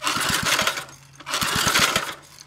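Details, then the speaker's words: Freed-up, previously locked 3 hp Briggs & Stratton small engine with a substitute carburetor fitted and no fuel draw yet: quick, crisp firing in two short bursts with pauses, no knocking underneath; runs cleanly and sounds good. "we took an engine that was free that was locked up and we got it running and it sounds good I don't hear any knocking so that's probably going to be a good little three horsepower engine"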